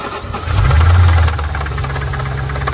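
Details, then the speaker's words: 2007 Audi B7 RS4 4.2L, used replacement engine from a fire-damaged wreck. After about 1 km at 100 km/h, restarted at a gas station: a sharp, regular knock keeps pace with the idle. Rod knock. "And I started to hear a noise at the end of that 1 kilometer, almost like a squealing or a knocking."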